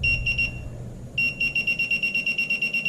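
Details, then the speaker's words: Minelab Pro-Find 35 pinpointer held near a bullet: high clear beeps pulsing about three times a second, briefly pausing and resuming; normal non-ferrous target tone. "there is sound good sounds like your regular non-ferrous target"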